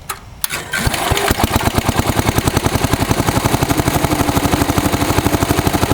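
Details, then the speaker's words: 1965 John Deere 110 round fender, single-cylinder engine with a new fuel line, new fuel filter and an oil change, carburetor not cleaned: it catches after a few turns and settles to an even thump about four times a second; a healthy start and idle. "Pretty good engine. I put new fuel line, new fuel filter, and an oil change on it."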